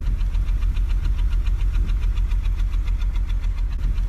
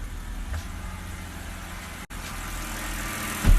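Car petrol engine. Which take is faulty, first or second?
first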